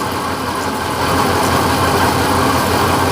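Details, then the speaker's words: 1956 Chevy Bel Air V8 during a water spray test on the headers: a rough, uneven, lumpy idle instead of a smooth burble. Two cylinders on one bank are dead (headers cold, not burning off water). Misfire. "No, it's not. No. So this cylinder and that cylinder are dead right now."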